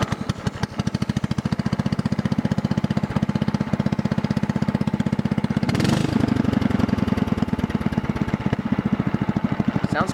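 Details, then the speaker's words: Mower with a Kohler overhead-valve engine running without its muffler through a 3-inch straight pipe: loud, raw, fast popping exhaust bark at idle. "so i'll start it up for you so you can hear what it sounds like without the muffler on it right now basically it's just straight piped and it's only about a three inch straight pipe anyway so it's gonna be a little bit loud"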